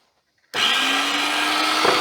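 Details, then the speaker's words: Single-motor juicer with worm crusher from a charity shop, plugged in: motor kicks in with a steady, even hum and whirr, no rattles or labouring; works as it should. "And it's already on. All right. So, obviously it works. Yeah, it looks to do what it's supposed to do."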